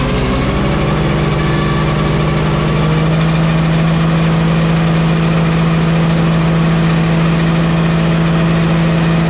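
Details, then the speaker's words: Walker mower deck after fitting new OEM blades and hubs and a used rebuilt gearbox: steady engine drone with a constant metallic rotating whir once the blades turn; the same sound persists, source not found. "Still the same sound. I don't know if you guys can hear that through the camera the way I hear it, but it's still the same sound."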